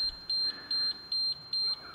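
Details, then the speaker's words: Large three-phase 450 V diesel generator set (made 2013, last serviced July 2020): after it shuts down with about 215 V output, a sharp high beep repeats about every half second. Controller fault alarm. "so according to that it's about 215 volts it's given out"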